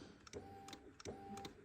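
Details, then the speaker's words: Kawasaki ZX12R, failed MOT with smoke from battery under tank, alarm supposedly disabled, key on and start button pressed: only faint fuel pump priming whir and light clicks, no cranking; owner suspects immobilizer preventing start. "You can hear the pump priming. Absolutely nothing."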